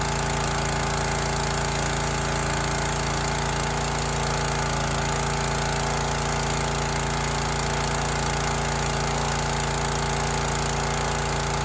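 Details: Teande 4200 psi pressure washer, Rato 209 cc Honda-clone engine, running with water connected after whatever was hitting was freed and the flywheel area cleaned: loud, steady chatter with an even beat and no misses or knocking; normal running.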